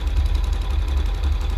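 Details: CT100 carburetor, warmed up, air-fuel mixture screw already set: single thumps quick and even, a touch fast; idle speed too high before turning the idle screw to lower RPM.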